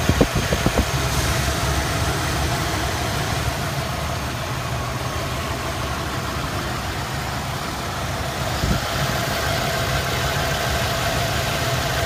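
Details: Idle pulsing with irregular stumble a couple of times a second, a few clicks at first: misfire of unknown cause; cylinder balance test passed all cylinders; cap, rotor, plugs, wires, coil and temp sensor replaced, timing set.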